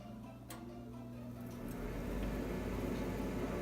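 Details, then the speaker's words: Old Bryant furnace after the noisy inducer motor assembly was replaced with a new one: a click, then a low smooth hum builds steadily, and the new inducer runs quietly and normally. "quiet so nice to make sure the furnace is working"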